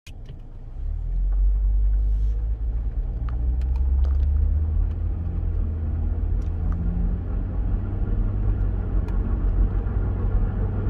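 Steady low droning rumble under way with little else above it; a shaft bearing is a possibility but not proven. Cause suspected, not confirmed.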